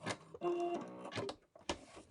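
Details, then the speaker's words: Brother Innovis A150 sewing machine on many thick denim layers at 3.5 stitch length: short bursts of quick, even stitching chatter, punching through without labouring; normal sewing. "Okay, that is 3.5 stitch length, and that went through all these really thick layers at the bottom absolutely fine."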